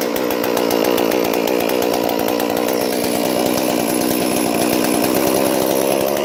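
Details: Stihl MS 461 chainsaw crushed by a rolling log, started with no carburetor adjustment possible: high buzzing two-stroke note steady at high revs, clean and even with no bogging; still runs well.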